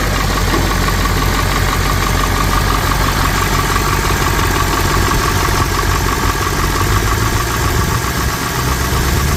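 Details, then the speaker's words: 1991 Ford F250 7.3 IDI diesel, runs waste motor oil blends but sound is the same on straight diesel: rough, low chugging idle with a thin, steady whistle from the exhaust; knock also being diagnosed. "Alright, here's the exhaust whistle."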